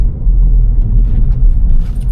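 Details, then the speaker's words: Vauxhall Corsa reversing slowly after replacing a worn shock absorber top mount: low even rumble, the former front suspension knock gone and steering tighter. No suspension knock. "Straight away I can hear that the knocking noise that it did have has disappeared."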